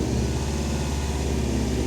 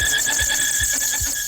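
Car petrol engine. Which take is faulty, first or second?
second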